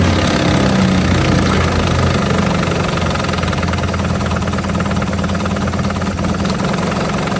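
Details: 1950 Johnson HD 25 2.5 hp two-stroke outboard running in a water bucket after carburetor adjustment, pumping water well: loud, slightly uneven low thrum, rough at lowest idle; owner suspects dirty points. Otherwise a good runner. Rough idle.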